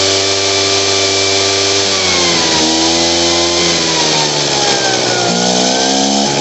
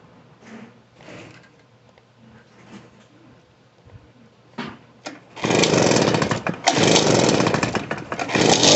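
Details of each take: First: Poulan Pro PR46BT backpack blower before carburetor adjustment: high whine sags in revs twice and struggles to recover, tries to stall near idle and bogs on throttle, won't throttle up; carburetor out of adjustment. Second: Poulan Pro PR46BT backpack blower with old carburetor, after adjusting out the bogging and turning the idle up: fires and holds a loud, steady two-stroke run with no bogging, running properly.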